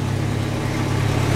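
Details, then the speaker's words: Jeep after rear axle repair for a rear rumble, jacked up, engine running in high gear; steady low drone of engine and driveline with no rumble, grind or clunk from the rear; normal axle operation. "Okay, so I must have got something right, because it's not making any noise at all."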